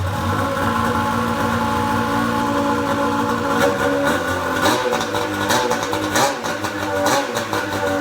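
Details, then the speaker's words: Pro XR 800 two-stroke sled, off the stand, after replacing a torched head gasket that caused coolant burning: buzz rising and falling with throttle, clean and even, no misfire; no white smoke now versus the earlier smoke cloud. "oh i'm not seeing any white smoke at first i still smelled a little bit but that went away that's a pretty damn good improvement over that smoke cloud we were seeing earlier today"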